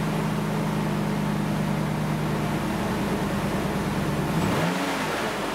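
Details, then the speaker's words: Dodge Ram V8 after basic service with 16 new spark plugs and an original-style air filter, exhaust not yet done: even burble held at raised speed, then clean drop to idle, no misfire or tapping; quieter, normal running. "i think it sounds quieter and i think that will be because of the cannon filter having an original filter um will make it quieter"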